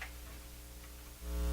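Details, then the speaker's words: Hammarlund SP-600 communications receiver heard through headphones: low steady buzzing hum that grows after about a second; hums too much when plugged into soundboard even at low volume; source of hum unknown. "Okay, this is the old way. So, a hum noise there. This is coming out of the headphones and the other one's not plugged in because soon as I plug it in, it hums too much."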